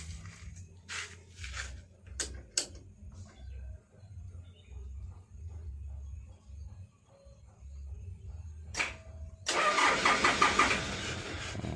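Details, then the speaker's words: Toyota Dyna 130HT diesel: slow, even cranking about three strokes a second that never catches. With throttle it runs limping with whitish smoke; nozzle and plunger to be checked. No start. "Nggak mau bunyi lur ya. Coba sambil kita injak gas lur ya."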